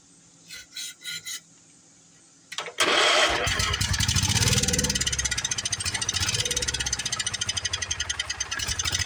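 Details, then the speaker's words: Old Wheel Horse tractor single-cylinder engine that had sat unused, with good compression, run on fuel primed into the carb: catches with a crisp, fairly even beat; sounds healthy but not picking up fuel from the tank. "all right don't sound too bad sounds like a pretty good running on motor to me so I guess we're gonna have to uh we're obviously not picking up fuel though"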